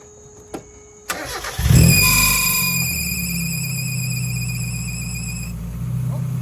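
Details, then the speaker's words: Mazda Miata, startup after tightening a very loose bolt: sharp high belt screech as the engine catches, cutting off within a few seconds into idle. Alternator belt squeal remains but is much shorter; repair only partly successful. "So, that wasn't a great fix. It still screeches, but it's it it cuts off really quickly."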